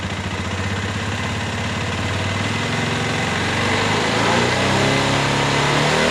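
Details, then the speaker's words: Flood-damaged Minerva MX 150 after a full rebuild with a new standard Megapro piston: an even single-cylinder idle that revs smoothly, fairly smooth compared with before; a vertical-piston engine cannot be 100% smooth. Normal running. "Nah itu ciri khas Oh piston tegak atau piston vertikal seperti itu tidak bisa halus 100%"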